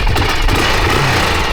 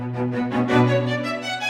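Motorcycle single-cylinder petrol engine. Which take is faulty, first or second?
second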